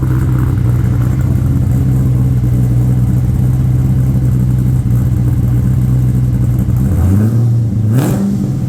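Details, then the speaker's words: Holden VT Clubsport V8 after a new exhaust is fitted: deep, steady burble, then a quick rev blip rising and settling; loud, clean, even note with no faults, no longer quiet. "that's how better she's not a qu Mouse anymore"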